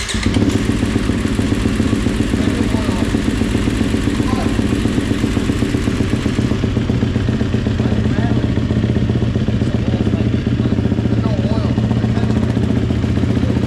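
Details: GasGas dirt bike, first start after top-end rebuild, before air filter fitted: strong, steady engine note with a fast, even beat, no knocking or misfires; normal running.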